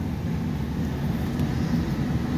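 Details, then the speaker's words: 1986 Kenmore 70 Power Miser furnace; loud, rough, steady low drone from a worn, failing blower motor; fan has been cycling on and off while burners stay running, suspected stack switch fault. "I don't know if you can quite hear me over this blower motor that sounds like it's on its way to hell in a handbasket, but this is the furnace in the house I just bought."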